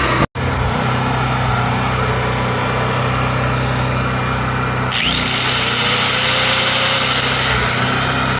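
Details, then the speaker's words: Predator 4000 generator, wouldn't start after sitting four months, running after repair: old gas had gummed the carburetor valve stuck closed, freed with carb cleaner and adjusted; steady even drone, no misses, surging or knocking; normal running. "basically what happened was all that old gas gummed up that valve and it was stuck closed that's some carb cleaner sprayed in there and loosen it all up adjusted it all put the cover back on and now it is gonna start"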